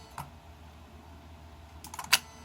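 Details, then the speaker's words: Bench test of a repaired Mercedes E320 throttle actuator and throttle control module: a faint tick, then a short cluster of sharp relay clicks as power activates the computer and throttle; the bench circuit operates normally. "another thing is the computer make distinctive clicking when the power is active that's the relay activate in it"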